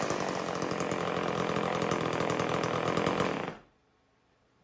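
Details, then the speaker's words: Homelite 150 Automatic chainsaw: strong, even two-stroke buzz holding steady about three seconds, then cutting off cleanly; everything runs good. "the Homelite. Homelite 150 automatic. Everything runs good."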